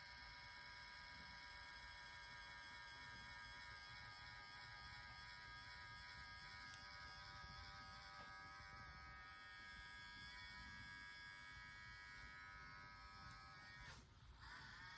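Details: Nintendo Switch handheld console: steady electric buzz with a rough grinding edge throughout, tone shifting toward the end; cause unknown.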